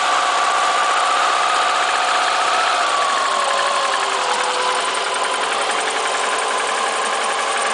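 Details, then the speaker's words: 2002 Subaru WRX, 214k highway miles, with low compression and alternating misfire codes on cylinders 1–3, on a cold day: a light, irregular knock about three to four times a second over a rough idle once warm, with piston slap suspected. "Okay, so it does that after it warms up, obviously, a little bit, it gets a little warm. But piston slap, you can hear it."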